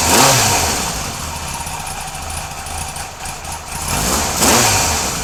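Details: Kawasaki KZ police motorcycle on a stand, suspected of not charging (voltage regulator suspected). The starter catches quickly with no choke and it settles into a ragged but steady mid-pitched run; it starts easily from cold.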